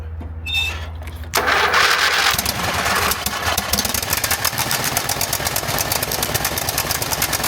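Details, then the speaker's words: Craftsman GT5000 riding mower, 22 HP Briggs & Stratton V-twin, after carburetor cleaning for a no-start: cranks, catches and settles into a steady rough-edged idle without stalling; starts normally. "There we go. It starts up. How about that?"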